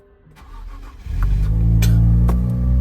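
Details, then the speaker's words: Healthy start on a newer Nissan Z sold as a non-runner at auction: quick crank, catches cleanly and settles into a smooth, even, deep idle with no misses or knocks, RPMs coming down, no warning lights. "It sounds great. It sounds absolutely great. RPMs are coming down."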